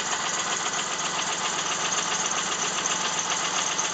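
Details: 1999 Plymouth Voyager 3.0 at idle: quick, slightly uneven tapping under the engine noise, first suspected rod knock or valve tap, isolated by mechanic's stethoscope to a cracked flywheel.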